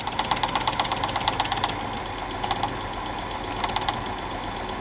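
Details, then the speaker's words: Old Super 8 film projector, long unused, under repair; rapid light ticking about three per second in bursts over soft whir, mechanism knocking; owner suspects eccentric near a clutch is making the noise. "that clutch does stop pretty easy it's nice Centric thing in there it's making that noise"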